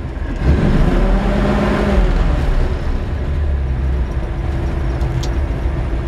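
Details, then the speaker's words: 1951 Ford F1 V8 at warm idle, temperature gauge about 165–170, good oil pressure: low deep even idle rumble, steady firing, no tapping or misses; healthy. "oil pressure on the trucks real good and that's how the idle like that"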